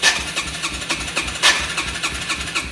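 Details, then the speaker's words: Yamaha TTR-125 dirt bike that has been sitting a while, won't start or stay running even with choke: slow, uneven whirring cranking that never catches; the starter seems worn, and a fuel issue is suspected, to be checked with starting fluid. "sounds like the starter seen better days as well"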